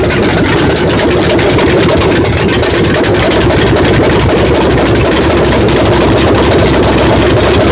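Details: 1968 Dodge Charger R/T 440, first start after rebuild, on open exhaust before the pipes are redone and before cam break-in: loud, lopey V8 idle, steady and running well.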